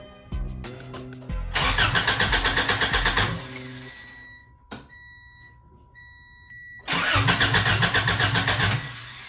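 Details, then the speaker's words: Honda DC2 Integra after fuel line repair with a new fuel filter, header off. First attempt to run fuel to the engine: two bursts of even cranking that never fire. Owner says it is not getting fuel. Crank, no start. "i'm not getting fuel obviously"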